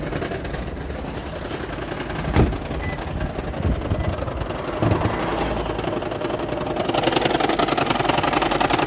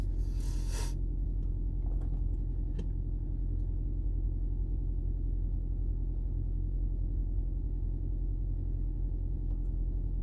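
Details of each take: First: 2010 Toyota Prius hybrid, customer recording while driving: uneven, lumpy running with a shaking rattle, heavy misfire and near-stalling, with no fault codes stored. The cause was found to be a faulty EGR valve, which was fixed. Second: 2010 Toyota Prius hybrid that had been rattling, shaking and misfiring with no DTCs: after fitting a new genuine EGR valve and clearing codes, it idles with a steady, even rumble and no knocks or stumbles. Normal idle.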